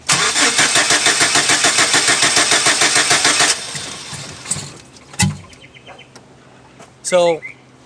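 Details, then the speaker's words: 2006 Chevy Silverado 4.3 crank no start, cranked with gas pedal held: starter churns evenly about three times a second without catching, then dull booms, showing fuel and spark present. "after I'm holding the the gas pedal as I'm cranking it and you hear go boom boom boom obviously we know something as we're getting fuel and spark"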